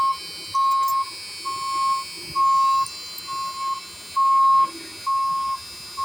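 Steady high beeps about every second, each roughly half a second long, over a quiet cabin; the vehicle won't start despite a charged battery.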